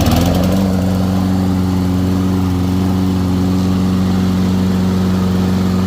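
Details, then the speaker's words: Toro Recycler 22 electric-start push mower running after battery charged, spark plug gap corrected from 45 to about 30, new primer bulb and filter: catches at once, smooth steady drone, no misses or knocks; normal running. "all right so the battery held a charge and we had to do a couple little things the spark plug was gapped at 45 so the gap on the spark plug should be right around 30"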